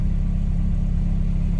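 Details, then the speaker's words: K20-swapped Honda Jazz/Fit warming up after a running issue was fixed, gauge 50°C and ECU 65°C. Steady, even, quiet idle with no knocks or misses and less interior rattle: normal idle. "It's actually quite quiet."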